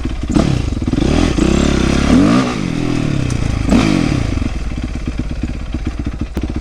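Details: 2008 Yamaha YZ450F after oil, chain, coolant, exhaust clamp, carburetor clean, accelerator pump rebuild and valve clearance fix: single revs up and settles to even idle, no popping or backfire, throttle response much better; normal running.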